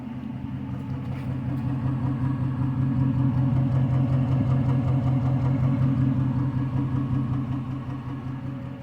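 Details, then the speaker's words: Rebuilt 2006 Chrysler 300C 5.7L HEMI V8 on junkyard parts, freshly started: deep idle with no top or bottom end noises but an uneven stumble from a slight misfire, clearest toward the back; engine shaking. "however there is a slight misfire so we'll just have to see how that uh turns out maybe it just needs to maybe it just needs to run a little bit and it'll clear up but I don't know you can really hear the misfire when you go towards the back"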